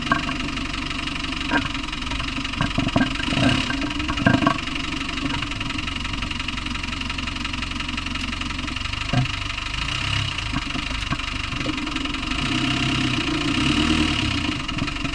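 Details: Land Rover Discovery 1 300Tdi diesel idling with a rough clatter and sharp irregular knocks; cause unknown.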